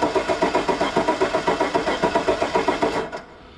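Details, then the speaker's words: Truck with 85,000 miles and botched plow wiring, fuel gauge at empty: steady starter cranking at about 3.5 per second with no firing, then it stops; crank-no-start from a bad ground. "she doesn't want to start we got something going on"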